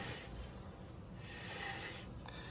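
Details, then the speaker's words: 2014 Chevrolet Caprice PPV at 160,000 miles with front-end vibration, after new front wheel bearing: hand-spun hub whirs softly and evenly with light brake drag, rolling much smoother than the rough old bearing. "way smoother even with the drag of the brakes it's it rolls smoother"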